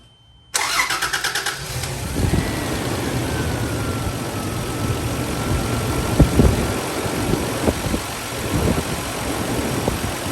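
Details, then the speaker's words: Toyota 80 series Land Cruiser 1FZ-FE after replacing belts with OEM belts to cure an engine whine (a new idler pulley did not fix it): brief crank, then even steady idle with no belt whine, normal idle. "yeah once that's done the truck should run really really smoothly like I said I'll include a video of it at the end but yeah that's really it"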